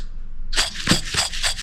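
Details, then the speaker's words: Starter motor bearing (2.7 kW unit from a 2005 Toyota Prado) turned by hand gives a dry, gritty rasp in short bursts and feels dragging; the bearing has lost its lubricant and can let the shaft go off-center. "alcanza a escuchar un ruido seco que he hecho no gira con facilidad se siente un poco frenado eso me indica que es el rodamiento y ha perdido lubricante"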